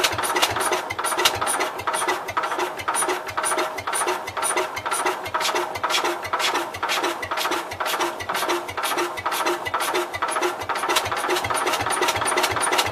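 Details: Cub Cadet 122 with weak, intermittent spark from worn points, primed for a start attempt: steady cranking about two beats a second with ragged uneven firing that never settles into a run; may need carb cleaner.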